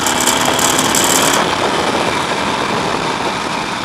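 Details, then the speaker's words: Harley-Davidson Nightster 1200, ridden under hard throttle: the twin pulls hard with a loose metallic rattle on top. Occurs only under aggressive acceleration, and the cause is unresolved after four dealer visits. "And it's fairly consistent. I mean, it'll do that every time I give it good throttle."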